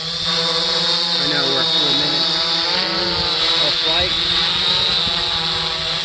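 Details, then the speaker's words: 3DR Solo quadcopter in flight after swapping OEM motors for Emax MT2216 810KV motors: steady, soft high-pitched whir rising and dipping while maneuvering, much quieter than the OEM motors, no rattle; normal motor hum. "so you notice it's gotten quieter much quieter than the ome motors I'm pretty impressed with these"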